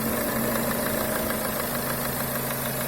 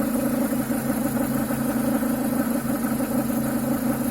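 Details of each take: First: Renault Duster 2.0 after replacing the crankcase ventilation (PCV) valve with the original membrane part, about 1000 km later: even steady idle with light valve tick, earlier quacking noise from left side of engine gone; normal idle. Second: Renault Duster 2.0 petrol idling: a faint bubbling, croaking, gurgling pulse heard on the left side of the engine, caused by a faulty crankcase ventilation (PCV) valve that is to be cleaned or replaced.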